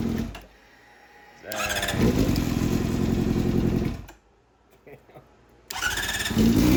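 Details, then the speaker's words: Fuel-injected 2007 Honda CBR600RR that had not run for about five years: it fires after a short crank, revs cleanly, cuts off and restarts readily; the engine starts and runs. "So, now that I knew that this bike wasn't just a complete junker and actually ran, I wanted to get this juice box tuner off it."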